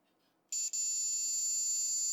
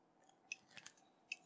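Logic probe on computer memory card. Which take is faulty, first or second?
second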